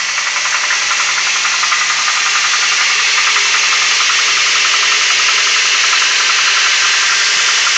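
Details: 2004 Toyota Tacoma Prerunner 2.7L 3RZ, about 150k miles, oil full: cold start idle with a fast, light metallic rattle, roughly four taps a second; fades once warm, lasts longer on colder mornings.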